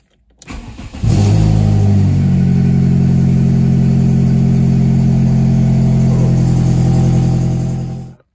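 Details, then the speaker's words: VW Polo 6N2 after fitting a new catalytic converter: engine catches and idles with a sharp rhythmic puffing tick, about four a second, from bolts left untightened between exhaust manifold and new catalytic converter; exhaust manifold leak. "and that ladies and gentlemen this is me forgetting to tighten bolts between the exhaust manifold and our new catalytic converter"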